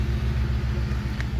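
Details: 2010 Ford Expedition EL Limited Max: replacement rear air suspension compressor gives a deep, steady pumping rumble, no knock or squeal, lifting the rear after fixing P1726 Check Air Suspension code; the old compressor didn't run. Normal operation.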